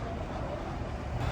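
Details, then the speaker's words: Ex-Indianapolis Police Ford Crown Victoria V8 idling at a police auction: low, steady rumble with even idle, no ticks, misses or odd exhaust smoke; normal quiet idle. "It sounds pretty good. It's nice and quiet. There's nothing coming out of the exhaust that's weird, so we'll see what this one brings."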